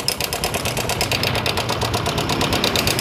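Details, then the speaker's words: Honda Karisma motorcycle running rough like a diesel: a fast, uneven clattery tick about three per second over the idle, caused by a cam chain tensioner that has jumped or gone slack and must be replaced. "ini tandanya permasalahannya yaitu tonjokan keteng ini sudah loncat ataupun sudah kendor yang ini jadi harus diganti"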